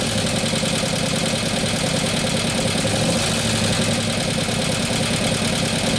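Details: 2015 Harley FLH Road Glide, 103ci Twin Cam, after a camshaft install and new oil pump: a busy, clattery idle with fast, light ticking over the V-twin lope. Oil pressure is present; the lifters have not pumped up.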